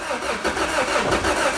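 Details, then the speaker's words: Wrecked 2006 Lotus Exige with a Toyota engine that has not run in a while, on a jump box; the starter churns and the engine turns over but never fires; owner suspects no fuel or a fuel cutoff switch. "Nothing. Nothing? Push start? You pushing it? You gotta push start it, Ivan, left hand."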